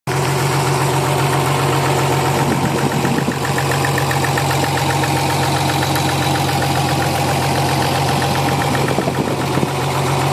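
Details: Nissan 300ZX V6 idling, warmed up after a new battery: a rapid, regular ticking knock, possibly from cylinder 4 or 6, that the owner thinks is worse than typical lifter tick; rod knock suspected, not confirmed.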